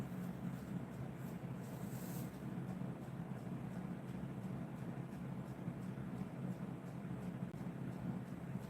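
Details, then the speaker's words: DIY magnetic pulse motor spinning at about 500–504 rpm, measured with a meter. It gives a steady low hum with faint, even ticking and no stumbles or rattles; it is running smoothly and normally. "it feels good to me man it's nice and safe it's doing what it's supposed to do"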